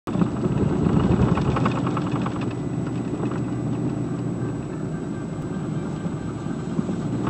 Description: 2002 Silverado 2500HD the center driveshaft support bearing broke while off-roading in the snow. This is what is sounds/feels like.